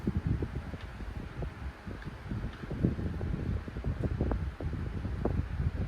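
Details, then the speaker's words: 1983 9-inch Galaxy desk fan with oiled shaded-pole motor: quiet fan with uneven light plastic clicks and buzzes on top; loose grille rattle, only three clips fitted where four should be. "Okay, turns out that's just the grill. That's just the case because they only put like 3 clips on it. Should have had 4."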